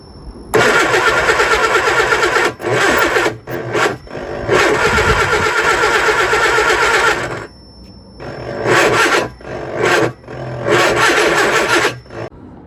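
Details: Lotus Elan first start after 3 years off the road: starter cranks in two-to-three-second bursts, never catches; plugs not very wet after easy-start, more petrol then added; owner later finds distributor timing likely the cause.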